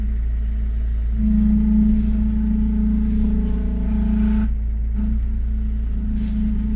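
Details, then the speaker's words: Chrysler PT Cruiser CRD diesel idling, power steering fluid low and being topped up while bleeding after pump work; wavering mid-pitched whine over the idle that eases off as air clears. "ah ça commence à s'atténuer un peu"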